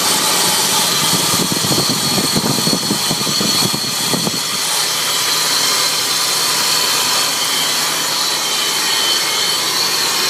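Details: 2002 Nissan Xterra with supercharged VG33ER at idle: loud steady high-pitched hiss with a faint whine under the hood; owner suspects the supercharger, cause unknown.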